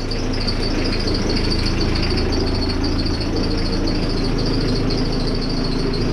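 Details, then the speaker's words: Ford Focus Mk2 engine idling after front-end work: constant rumble with a faint high wavering chirp about every half second from a crooked, misaligned accessory pulley. "Vo la jolie poulie qui est en train de la jolie poulie qui est de travers."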